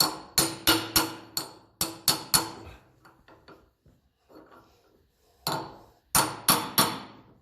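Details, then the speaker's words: 1954 Ferguson TEF 20 diesel tractor, seal being tapped in with a bar and hammer near its outer edge: sharp taps whose ring turns crisp and solid once the seal is fully seated. "when she's home you'll hear the the sound change like that sounds like she's"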